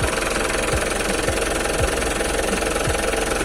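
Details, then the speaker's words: 2014 Mitsubishi Pajero Sport Dakar 4x2 automatic with VGT turbo diesel, under 100,000 km, service record, AC off, recorded at the engine bay: even diesel idle with steady, regular clatter and no knock, miss or surge. Sounds very normal, no leaks. "Kedengarannya masih sangat normal, tidak ada rembesan-rembesan juga nih kalau kita lihat."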